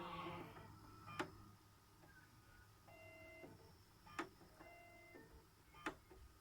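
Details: Xbox One S disc drive with a Burnout Paradise disc showing dirt; sharp clicks every few seconds between short whirring spin-ups as it retries and fails; disc ejects normally without sticking; disc drive failing to read the disc.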